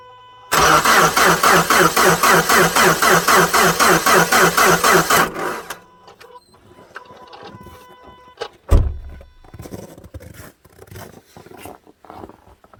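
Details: 2010 Subaru Forester 2.5 with a replacement JDM engine, cold at −25 °C after sitting overnight: even, steady cranking for about five seconds that never catches. There was no spark from the coil, and a new starter fixed it.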